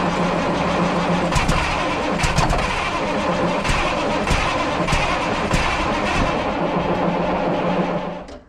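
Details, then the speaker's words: 1994 International 9600 cabover, N14 Cummins diesel, 561,000 miles, fresh batteries after sitting non-running: fires and runs steadily about eight seconds then dies abruptly; oil and water light blinking. "all righty it'll start up and run but it keeps shutting off um the oil and water light is blinking"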